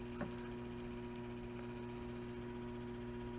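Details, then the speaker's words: System 11 pinball machine with a newly installed replacement board, first power-on: steady low electrical buzz under faint clicks, believed to come from the new board and louder with the flood light on; the machine doesn't work, owner suspects postal X-ray wiped the ROMs. "funky noise coming out of one of the boards because it sounds like there's a funky kind of hum uh coming out of I think this the new board that I got"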